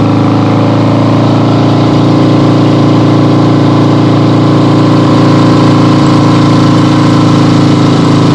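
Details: 1975 Harley-Davidson XLH Ironhead Sportster, freshly rebuilt and basically stock, on a test ride with the camera clipped to the rider: steady, even V-twin beat with a smooth low drone, no misses or knocks; runs great, healthy.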